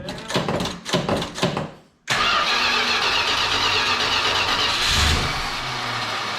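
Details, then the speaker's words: 1968 Chrysler Newport 383 big block, newly swapped to an Edelbrock 750 four-barrel carb on a Weiand intake, electric choke not hooked up, cold weather. It cranks two seconds, catches, then runs rough and unsteady with throttle blips. Cold start without choke. "boy want some choke I don't have that electric Coke hooked up let warm up"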